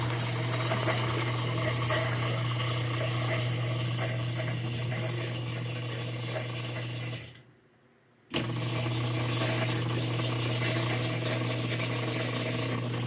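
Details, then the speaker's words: Whirlpool-type washer in diagnostic mode, drain/spin test: steady loud pump hum with rough rattling buzz, briefly cutting out and restarting; drain pump sounds rough and noisy. "And that pump doesn't sound good. You hear that pump?"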